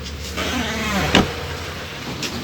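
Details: Mitsubishi Pajero car door swinging: wavering, rising creak ending in a thud from dry, unlubricated door hinges, before greasing with multi-purpose grease fixed it.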